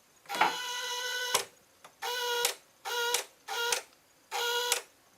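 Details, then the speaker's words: Rebuilt 20 hp Briggs & Stratton engine, first start attempt: short buzzing relay-like chatter bursts of about a second with each key turn and no cranking, because the PTO switch was engaged. "oh the uh PTO switch was engaged cuz I just heard the clutch kick on"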